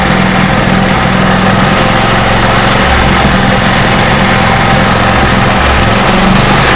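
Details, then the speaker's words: Craftsman portable generator after governor adjustment corrected (governor had gone slightly out of whack; bent spring tab is factory): loud, even drone holding one steady governed speed, no hunting or surging; runs exactly as wanted. "Perfect. I am very happy with that. That's exactly how I want it to run."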